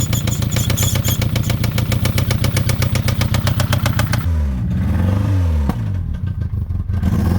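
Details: Citroen ZX 1.9 engine at idle, hard regular knocking about four times a second that quickens when revved; engine knock.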